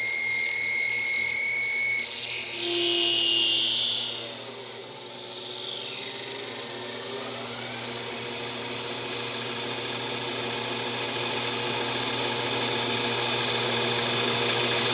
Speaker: You can hear just there the spindle uh stalled up a little bit.